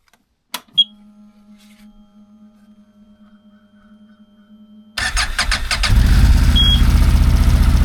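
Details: 2024 CFMOTO Cforce 800xc started after its first oil change, oil topped up to the line: quiet hum, then cranks and catches at about five seconds, settling into a steady, even idle with no knocks.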